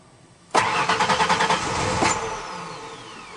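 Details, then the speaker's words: 1992 Ford Ranger 3.0L fuel-injected V6 cranked with fuel pump connector unplugged to relieve line pressure before fuel filter replacement: starter spins in an uneven chug about three beats a second, never catches; no fuel delivery. "okay let's turn this over a couple of times I'm going to turn this on notice that you don't hear the fuel"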